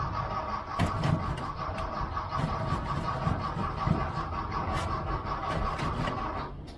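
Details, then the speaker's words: 1979 VW Bus, starter grinding the engine over steadily with no firing after running dry, fuel starvation; the roughly 8 psi fuel pump needs long cranking to refill the carburetor. "that's a common thing though when you around a guest in a Volkswagen you crank it try to get it back to the carburetor and you quit just before it's almost there because it does take a lot"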